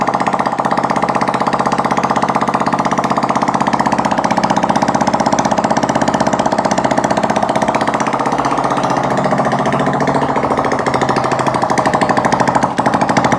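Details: Honda CD70 four-stroke single after a piston ring change, silencer not yet fitted, carburetor being set: loud, crisp open-pipe popping at a steady fast idle, firing evenly with no knock. Healthy idle.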